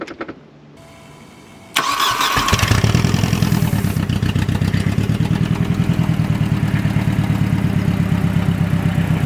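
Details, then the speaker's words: Mercedes-Benz project car first start after cleaning corroded terminals, no exhaust fitted: cranks briefly, catches, then settles to a harsh, loud, rapid popping idle; loud start and idle with no exhaust. "so see what it sounds like yeah it's loud no exhaust"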